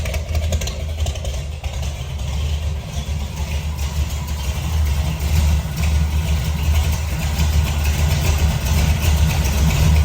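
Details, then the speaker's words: 1968 Ford F250, rebuilt hopped-up 390 V8 with long-tube headers and true dual exhaust, 57,000 miles, revived after sitting over a year and a half, idling muffled inside a barn: deep, steady, even loping rumble with no knocks or misses; normal idle. "you hear that Rumble and it's in a barn being muffled by all that"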